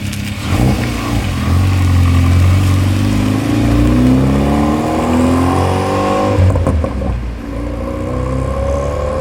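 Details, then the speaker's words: Hyundai Veloster Turbo, about 320 hp at 28 psi boost, just fitted with a catted Pierce Motorsports downpipe replacing a catless one: deep exhaust roar climbing with revs then dropping; louder than catless, owner suspects a blown cat, unconfirmed. "car is a little bit louder than the catless. I don't know if we blew out the cat on this thing."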